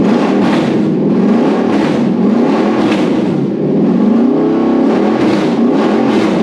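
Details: Toyota 1UZ VVTi V8 petrol on the bench with new wiring loom for a Hilux swap, first start: smooth revs rising and falling up to the limiter, clean and even; healthy.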